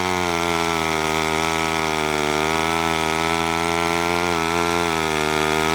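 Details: McCulloch 1-42 two-stroke chainsaw, restored project saw, cutting wood: high, steady scream that sags only slightly as it bites in; runs clean and even under load.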